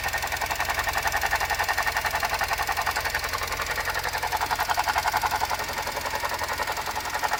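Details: Suzuki Jimny JB64 at idle: quick regular ticking rattle about four per second with a mid-pitched whine, from a faulty alternator, replaced under warranty with a new alternator.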